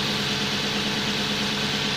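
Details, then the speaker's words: Lexus LS400 V8 idling after a new auxiliary belt tensioner and idler pulley, and new spark plugs that fixed its no-start, air filter refitted. Smooth even idle with steady hum and no belt squeal or chirp from the front; running healthy again. "ah so there you go the Lexus is running again that fills me with much happiness"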